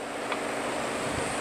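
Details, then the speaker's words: Walk-in cooler stuck near 55–60°F, at the low-profile evaporator coil: steady airy hiss with no motor rhythm; TXV suspected underfeeding because the system is low on refrigerant charge. "we could hear the hissing noise again so that's not cool"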